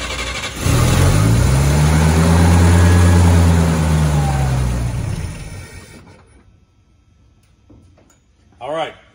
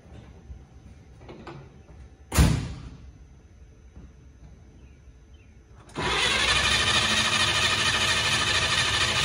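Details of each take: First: Old truck on points ignition, first start since mid-March after the carburetor bowl fuel evaporated: it cranks a while, then catches cleanly and runs evenly with no misfire; a normal start. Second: Truck converted from points to a Pertronix electronic ignition with a Flamethrower II coil on full 12 volts: a clunk, then steady starter churning about three turns a second with no firing; crank, no start.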